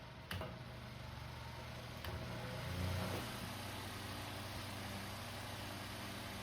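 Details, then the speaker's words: Household fan after disassembly, dusting and oiling the shaft (previously slow to start and noisy), run indoors: quiet, even low hum with a soft steady whir, no scraping or ticking; now starts faster and runs smoother and quieter. "let's try it indoors much smoother much"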